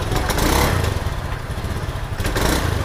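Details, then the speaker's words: Honda Scoopy injection scooter sputters and limps unevenly when the throttle is blipped instead of revving cleanly; fuel pressure 40.3 psi, injector, plug and air filter fine, so the ignition coil is suspected. "itu bro Nah itu coba gas khasnya Bro Nah itu dia seperti pincang ya Bro"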